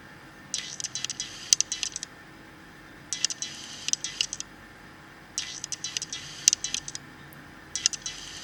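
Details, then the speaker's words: Nikon D5500, focus changed via touchscreen: four short bursts of high, scratchy whirring and ticking, loud enough for the camera's internal mic to pick up. Noisy autofocus motor. "bawa motor bungkusnya cukup berisik dan terdengar sampai di microphone internal dari kamera"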